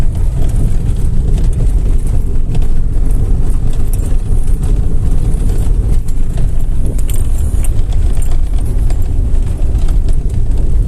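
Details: 2007 Hyundai Tucson JM 2.0 while driving: rapid irregular knocking over a low rumble from the steering column, with steering wheel shaking.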